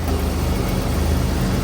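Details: Buick Grand National just returned home, start-up: deep, even idle with steady low rumble and no knocks or misses; engine sounds healthy and settled.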